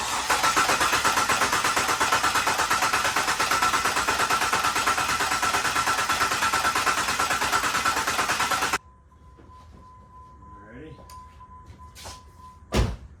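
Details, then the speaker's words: Jeep Liberty sitting two years, freshly refilled with antifreeze, fuel pump relay removed to build oil pressure: steady rhythmic starter churn about three beats a second, engine turning over evenly without firing; normal cranking, no start. "We're gonna fire this thing up, but first we're gonna take the fuel pump relay out, and we're gonna crank it a few times to build the oil pressure."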